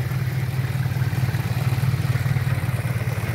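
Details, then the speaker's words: 2001 Pointer Wagon 1.8 idling around 800 rpm, possibly cold, after a tune-up: a low, lumpy idle with an uneven shake that also affects starting. It sounds out of time, with incorrect ignition timing traced via the battery side. "vean cómo hace el motor, muy tembloroso, muy pues prácticamente en el arranque también afecta."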